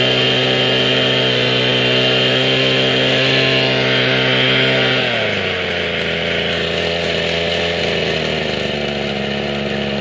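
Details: Mikino/Vikino 768A two-stroke motor sprayer after replacing the faulty carburetor. Steady buzzy note drops smoothly to a lower, even speed midway, no misses or surging. Normal running.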